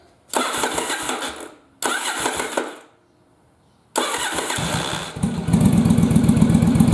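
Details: Yamaha Virago bobber, battery at 12.7 V: two cranking bursts, then it catches and runs a lumpy, uneven idle with one cylinder dropping out, firing only at higher rpm. Idle misfire on one cylinder from a fouled spark plug, not the carbs.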